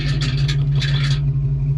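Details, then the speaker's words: 1990 Ford Mustang GT Fox: over a low steady idle hum, brief bursts of light metallic buzzing; loose bracket holding the lower GT rear skirt rattling, needs fixing. "you hear the bracket that holds the lower part of the GT rear skirt on I need to get that fixed on there"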